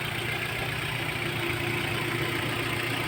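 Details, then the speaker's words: Hyundai engine at idle, before installing a catalyst on an air-filter fuel-saving gadget: smooth, even idle with steady beat and no knocks or misses; idle judged not bad, normal. "Ayan ang minor niya, no? So hindi naman siya masyadong sabihin natin na bad ang minor niya, but siyempre magandang klaseng makina ito."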